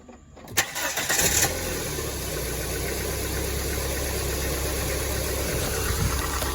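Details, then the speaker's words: Dodge Neon after fitting and properly tightening a new alternator belt, which had shredded and caused loud ticking: brief crank, quick catch, steady quiet idle with no popping or clicking; normal. "There you are. No popping and clicking. Look how tight that belt is. Nice and quiet."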